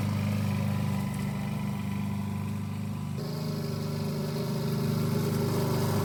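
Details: 1988 Alco push mower, Briggs and Stratton auto-choke engine, after a non-start repair (diaphragm, a common issue), mowing cut-and-drop with the old blunt blade: steady buzzing single-cylinder beat that shifts slightly under grass load and runs cleanly; normal running.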